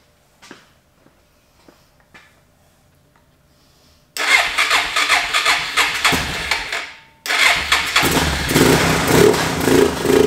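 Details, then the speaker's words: Suzuki DR650 single that sat for over four years, with a cleaned carburetor and its air box pulled: quiet clicks, then it fires on starting fluid sprayed into the carb, runs rough, dies, catches again and settles into an uneven idle. "so I decide it was probably time to go ahead and pull the air box so that I can get some starting fluid into the back of the carburetor and see if we can get this thing to hit and fire up private with some starting fluid"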